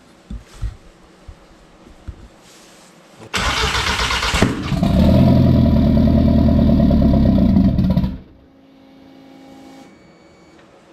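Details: Mk1 Rabbit with ABA turbo and DQ250 DSG swap on E85, after grounding coil: short crank catches, flares up, settles into smooth even loud idle before shutoff; normal start and idle.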